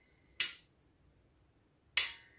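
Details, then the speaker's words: Relay wired to a water flow switch in a simulation before installing on a booster pump: two crisp clicks as the relay pulls in when water flows and drops out cleanly; switching normally. "Jadi saat flow ini dapat aliran air, maka relay akan terhubung."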